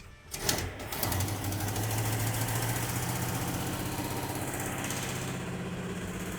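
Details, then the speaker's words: 1971 Plymouth Satellite V8 idling after hot-wire start: lumpy idle with a quick, sharp ticking on every beat, louder over time at stoplights; exhaust leak found at the back of the right side header, collector gasket still to be checked. "It looks like it's the side. Found it. Yeah, it's coming from the back of the right side header."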